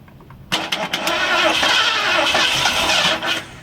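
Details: 1978 Ford Bronco Ranger XLT barn find that sat 20 years, no fuel in it, with rats in the plug wires: a few cranking bursts, then it fires briefly on starting fluid with a ragged roar and dies. No-start, no fuel.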